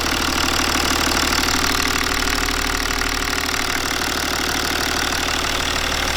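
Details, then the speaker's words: BMW N57 diesel, first start after timing chain and main bearing replacement and fuel bleeding: even diesel clatter at steady idle, no knocks, misses or rattles, nothing leaking; healthy. "for now not nothing is leaking i'm going to leave it running for few minutes"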